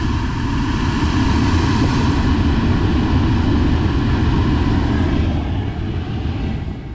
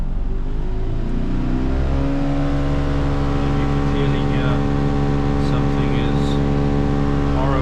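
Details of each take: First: Crash-repaired Mercedes-Benz C200 with the air-con unit refitted and switched on: a steady, even rush of air with a low hum and no rattling or ticking; the blower runs smoothly. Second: Crash-repaired Mercedes-Benz C200 idling with the air con on auto: a steady droning hum with a whirring tone from the blower fan, quiet on low; something is suspected stuck behind the dash.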